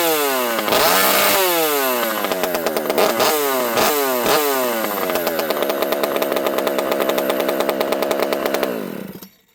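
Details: Rebuilt Partner P42 two-stroke chainsaw on the bench in warm weather: sharp repeated blips climbing cleanly to a high screaming rev without bogging; runs well, though owner says the open pipe spits most fuel.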